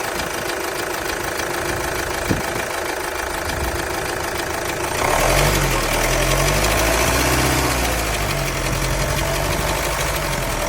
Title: Vauxhall insignia 2016 b20dth timing chain noise